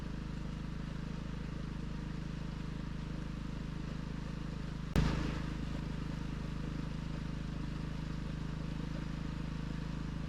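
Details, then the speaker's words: Off-grid generator after a new spark plug, having stalled following an oil change with lighter oil that pulled oil into the carburetor: even steady hum with constant low drone and one brief clack; runs smoothly and powers a load. "I think it's running smooth anyways. Let's plug something in. Works."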